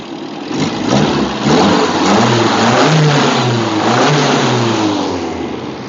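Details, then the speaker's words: KE20 Toyota Corolla, sitting since the early 1990s, after carb work, radiator refit, distributor timing and new ignition coil: engine picks up cleanly and drops back smoothly on each blip, no knocks or misses; throttle slightly sticky. "Yeah, we're all ready to go. And she's running perfect. Throttle's a little bit sticky, but"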